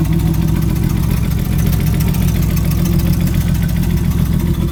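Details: Nissan RB25DET engine idling with a deep, uneven knock roughly three or four times a second under the exhaust note, diagnosed as rod knock; rod knock.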